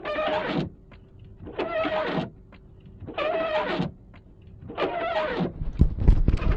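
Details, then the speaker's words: Windshield wiper blades after being restored with a rubber-shaving tool: four rhythmic sweeps, each with a juddering chatter and squeak; they clean better but still chatter and miss spots. "Like I said, it does clean better. It's just noisy still."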